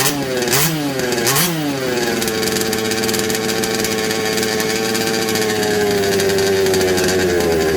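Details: Second-hand 1/5 RC Baja two-stroke after replacement carb and gaskets, spark checked good: uneven blips then buzzy high note that sags and wanders; runs poorly, slightly better but can't be tuned, cause unconfirmed.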